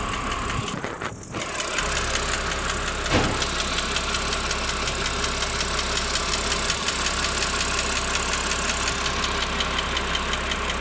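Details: BMW 330i N52 at warm idle, 10–15 minutes after a cold start: light, quick ticking about three per second over steady idle, origin unknown.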